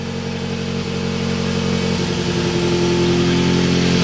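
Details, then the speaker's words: Scion tC idling just after a 250-amp high-output alternator install: the idle holds but stutters slightly, its tone rising and falling in a slow hunt. Owner thinks it may just need to break in; the cause is not confirmed. "You can kind of tell the tones are going up and down. Maybe it just needs to break in, but I mean, so far so good."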